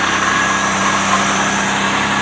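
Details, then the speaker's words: Car started after sitting nearly 3 weeks, following a negative battery terminal swap, AC off, fuel pump primed before cranking: a smooth, even idle with a steady low hum, no ticks, misses or surges. Running normally. "Okay, so there you have it. There you go. It's running as it's supposed to. Pretty good."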